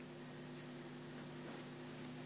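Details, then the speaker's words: Sony SRS-A205 powered speaker idling: steady low hum with a few fixed buzzing tones over faint hiss, heard for years, worse at low volume. "I don't know if you can hear that humming."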